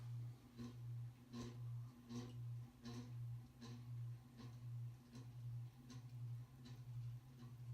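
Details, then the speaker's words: 1988 View 52-inch ceiling fan, model V652, white and polished brass with light kit, running on low speed with out-of-balance blades: a low steady hum with a light tick about every 0.75 s, from badly worn motor bearings. "It's still noisy as hell though. You can hear those horrible bearings."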